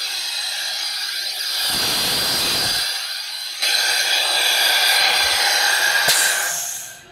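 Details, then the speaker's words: 2009 Toyota Corolla with misfire despite new coils, plugs, injectors and PCM, engine off, leak-down test at 100 psi into cylinder 3: loud steady hiss as air leaks out of cylinder 4; head gasket leak between cylinders. "I wanted to show you that with 100 psi going in the cylinder 3 it was leaking out of cylinder 4 with the engine on this compression stroke"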